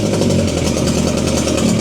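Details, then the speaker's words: BMW K100 motorcycle after fuel pump replacement and spark plug and coil check: idling on choke, responds to throttle, steady even beat with smooth mid-pitched drone; injectors now working, owner thinks they were sticky. "even got some throttle as well so it's idling now on the [Music] choke and the injectors are now working like they should"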